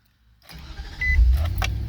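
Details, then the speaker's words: 2007 Nissan Titan SE with hard-start complaint and immobilizer light on: starts at once on the dealer key, brief crank then smooth idle; aftermarket key transponder not syncing or faulty immobilizer suspected. "and it cranked right up."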